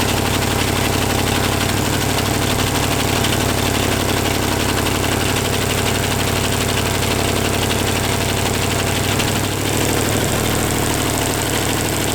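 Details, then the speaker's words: 283 small-block Chevy running with only one cylinder head fitted, as an experiment: rough, loping, stumbling idle with a chuffing beat, never settling; suspected vacuum leak pulling in somewhere, not confirmed; lifters ticking as they bleed down. "I've got a vacuum leak. There we go. It's running though. Yeah, it must be pulling through here somewhere."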